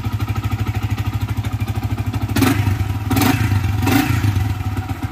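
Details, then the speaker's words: Yamaha FZ motorcycle after the burnt main coil was identified as the drone source; even idle, then three quick throttle blips rising and falling cleanly with no drone or hum; normal revving after the fix. "bunyi berdengung tu dah hilang dah aa so memang betul confirm bunyi telengung tu datang daripada minit call yang dah terbakar try aa bunyi yang motor sedap standard aje kan"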